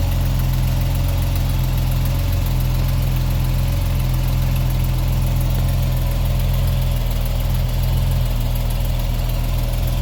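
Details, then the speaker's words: 1979 Opel Monza inline-six, warm, after fixing a misfiring injector and fitting a modified rocker cover: idles steadily and evenly with a deep low rumble, smooth and responsive, with a puffing exhaust leak still present. "But we've done 3 cylinders now, and it's really sounding smooth, responsive, and this modified rocker cover is working an absolute treat, which is good."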